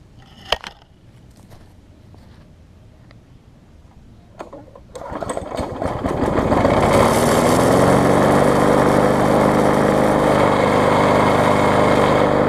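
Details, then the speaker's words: Bolens self-propelled mower after no-spark fix by regapping ignition coil too far from flywheel, self-propel tightened: a few clicks and pulls, starts on first pull, settles into fast, even, steady putter with no misses; normal running. "take off on its own so I can hear it does run good and start it up on the first pole which is always a plus"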